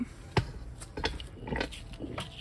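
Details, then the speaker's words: Kaabo Wolf King electric scooter, removed rear hub motor turned by hand: uneven rough grinding with irregular low clunks; the motor is being replaced. "I can just hear it does not sound good in there"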